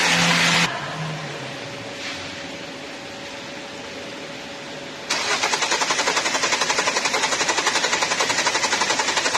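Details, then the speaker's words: New Hyundai Creta with a long-crank starting complaint, after injectors were refitted, while air is bled from the fuel system: starter cranks steadily at about four turns a second. "Vehicle అనేది single సెల్ఫ్లో start అవుతుంది. ఇంతకుముందే long crank తీసుకొని start అవుతుంది."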